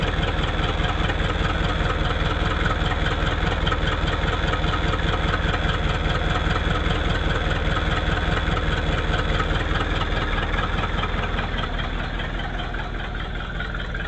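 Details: 1959 Ford Thunderbird V8 after no-start troubleshooting, owner suspects a failing ignition resistor feeding the coil: steady, even V8 beat with a regular low pulse, idling cleanly with no misses.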